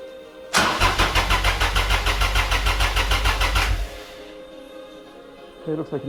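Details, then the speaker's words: Carpenter Rocket III 2472cc supercharged stroker, first startup after rebuild to 8.0:1 compression: starter cranks in about twelve even beats for three seconds, engine never catches; crank-no-start, fuel line likely needs priming. "need to prime the fuel"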